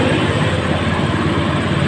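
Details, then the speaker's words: Honda Scoopy FI scooter, previously sputtering and powerless, after fitting new fuel pump with strong pressure: strong steady engine note, even firing, no stumbling or misses; runs light and pulls well. "Jadi otomatis motor ini akan sangat enteng Ah tarikannya oke ya Masbro"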